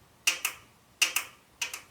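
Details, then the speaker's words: 2009 Subaru Forester with code P0028: the VVT solenoid, manually energized from the alternator B terminal with the engine off, gives three crisp double clicks, showing likely movement but not a conclusive test. "Can you guys hear that? So our solenoid is clicking. Again, that doesn't mean it's good, but at least we can hear it."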